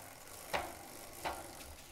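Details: Giant Defy bicycle, short cage derailleur with 11/32 cassette, after removing master link to shorten chain: drivetrain pedaled forward runs quietly with only a light click about every 0.7 seconds.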